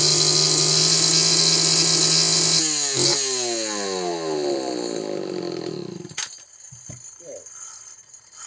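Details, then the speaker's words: Homelite Super XL chainsaw: screams at high revs, then the note breaks off, sags and pops unevenly, cutting in and out at high RPM; suspected failing ignition condenser giving a weak spark, spark looked fine with plug alone. "did you guys hear that popping and banging and everything else there's an ignition problem in this saw and with where it's cutting in and out at the RPM level I'm going to take a wild guess that has got a condenser that's going bad"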